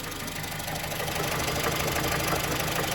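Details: 2015 Honda Civic, engine running after climate control module replacement and new AC clutch: rapid uneven knocking, about three per second, likely from the locked-up AC compressor.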